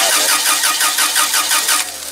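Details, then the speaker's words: Toyota 7FG25 forklift with a no-start complaint: starter turns steadily, engine cranks but never fires; compression assumed fine from the cranking, spark confirmed on one plug, so fuel to be tested next. "right now it's just cranking and it wouldn't start so next thing to do is to test for fuel"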